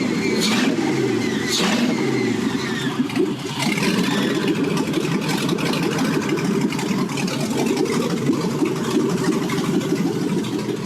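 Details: 2001 regular cab short bed truck with 2006 5.3 LM7 and rebuilt 2006 4L60E (Sonnax 6-pinion planetary), first start with no coolant and open exhaust: cranks, catches, settles into loud, even idle with no knocks or misses; engine runs flawlessly.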